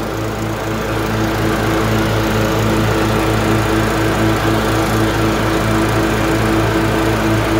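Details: LT1040 riding mower after valve cover gasket reseal with silicone and pulley replacement: steady even single-cylinder chug at constant speed, no misses or knocks, smoke gone; running smoothly.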